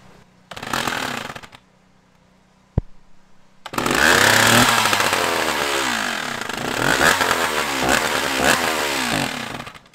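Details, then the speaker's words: Stihl 056AV chainsaw that cut out after 3–4 minutes when warm, after replacing the failed Bosch ignition, started cold: a pull or two, then it fires and revs up and down cleanly without cutting out. Normal start and revving. "so I'm going to start it up here let it get warm uh we'll do some revs and then see if the ignition is actually fixed"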